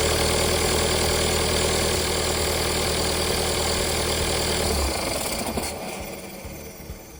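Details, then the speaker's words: TDI diesel-powered TJ Wrangler idling at about 1200 rpm after installing a GTD1752vrk turbo and MagnaFlow muffler. Even idle beating about four times a second with no leaks or rattles, then a clean shutdown; healthy. "it's great to hear the Wrangler running again I've actually done a lot since I last turned on the camera I've let this engine idle at about 1200 RPM because that's where it idles right now for about an hour"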